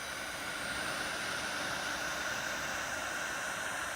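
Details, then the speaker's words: Omnicharge 20 power bank charging in a hot basement (heater on), unit around 36–42 °C: loud steady jet-like rushing hiss with a thin whine near 1.4 kHz; cooling fan running at high speed due to overheating. "Sound like a jet is taking off. Um, that's how hot they are right now."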